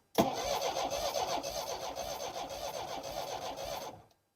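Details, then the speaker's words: 1960s Homelite Stingray 55 HP boat motor, after ignition capacitor replacement: rapid uneven cranking for about four seconds, never firing. No spark seen; an electrical issue is suspected, possibly wrong spark plugs. "we don't see any spark on this one then absolutely it's an electrical issue"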